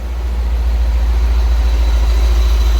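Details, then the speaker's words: BMW E39 M5 V8 after timing chain tensioner replacement, on a restart after it had first started loud and rattling: fires and settles into a steady, even idle with no chain rattle or slap. Healthy start. "Man! That shit starts mint, no slapping at all."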